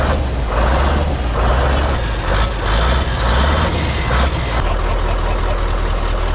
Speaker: So obviously, as you can hear, she runs absolutely fine, bless her.